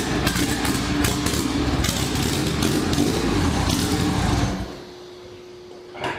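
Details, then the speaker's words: Honda B18 LS VTEC in an EK Civic with cylinder 3 injector unplugged: lumpy, uneven idle with a steady stumble about four times a second, then shutdown; dead cylinder from a cracked cylinder sleeve, later confirmed on teardown. "as you can hear the car was not running very well one of the things I did before I drove it home is I unplugged the injector on cylinder number three so that it wasn't firing on that cylinder"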